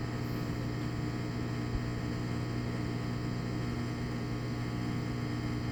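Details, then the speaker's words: Washing machine after removing a safety pin jammed in the drain pump, which had stopped it after draining: steady low hum, smooth tone, no rattle or gurgle, water moving quickly; normal drain pump operation. "sounds like it's moving moving the water pretty quick"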